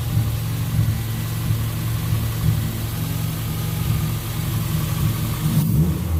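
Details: Car driven after its fuel injectors were cleaned and flow-tested, previously idling around 3,000 rpm with a lean spike: smooth, even rise and fall of revs, clean low exhaust note, no hesitation; problem gone, running healthy.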